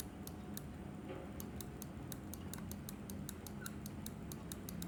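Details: Glorious Model O mouse after about two months of use: quick bursts of sharp clicks with a faint thin squeak mixed in; cause not found.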